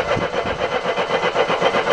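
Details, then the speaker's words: Mercedes W123, in park on a ramp, after fuel line replacement with the fuel line reconnected and petrol confirmed: the starter cranks evenly at about seven compression pulses a second, but it never catches or fires. Cranks, no start. "You must be getting petrol at this point. Why aren't you firing? Come on, why are you not firing? I know there's petrol, it just threw petrol over the engine."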